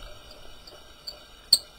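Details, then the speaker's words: Hamster wheel before fix, plastic wheel on plain axle: thin high chirping squeak with faint click as it turns; squeaking cured by fitting ball bearing races. "Squeaky. Let's do something about that."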